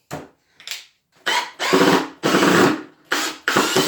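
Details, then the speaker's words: New Milwaukee M18 brushless drill/driver driving screws into very hard wood in drill mode: short bursts of whir with harsh grinding as the bit slips and cams out of the screw head, stripping it. Bit cam-out grinding screw head. "as you can see I'm grinding the bits I'm putting on grinding the screws that's why"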